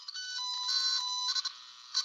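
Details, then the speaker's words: Electrical circuit tracer (toner) on a wire whose connection is barely touching: warbling tone that crackles, jumps in pitch and fades out from high resistance, unlike the pure tone of a clean break. "Right now, you're hearing intermittent tone because it's just barely touching. So, it sounds like crap. It's got a lot of resistance through it because it's not a solid connection."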